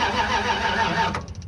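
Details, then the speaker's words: Kaiser M715 truck, unstarted 2–3 months, cold start on minimal wiring with electric fuel pump: sluggish dragging crank dying into faint clicking from a nearly dead old battery. "That old battery's about dead."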